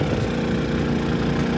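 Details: Harbor Freight Predator 3500 generator, heard revving up as it powers a 15,000 BTU RV air conditioner: steady, even engine drone holding a higher speed under load, no surging or misfire; generator running healthy.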